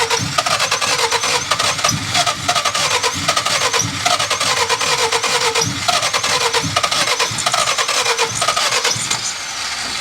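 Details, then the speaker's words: Cheap car being put back on the road, coils just checked: starter cranks steadily at a fast, even rhythm but the engine never fires; they suspect something isn't hooked up properly, and it later ran, possibly just low on gas. "A little less exciting than I expected. Makes me wonder if we don't have something hooked up properly."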